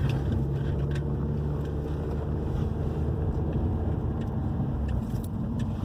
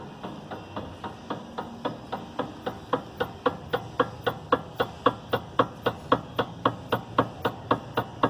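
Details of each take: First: 2011 Hyundai i30 2.0 gasoline, road test on the same irregular street after replacing stabilizer bar bushings and both end links for a suspension knocking complaint: steady road rumble and tire noise, no clunks over bumps. Suspension now quiet. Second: 2011 Hyundai i30 2.0 petrol, car rocked in workshop yard, customer reports knocking over rough pavement: sharp regular knocks about twice a second; worn stabilizer links and anti-roll bar bushes.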